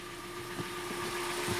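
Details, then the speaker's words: 2013 Hyundai Elantra 1.8 G4NB, about 86,951 on the odometer, at idle: dull irregular knock a few times a second over a steady hum. Owner suspects piston slap, also considers piston pin or hydraulic lifter; engine to be torn down. "когда соберу дай бог мотор я скорее всего дома это на поршень похож"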